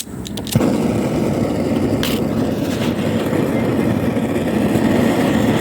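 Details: BRS-8 multifuel stove running on gas, previously never worked, after a makeshift tin part cut around a 2p coin was fitted: soft hiss, then a steady, even roar once lit; burner stays lit and works properly.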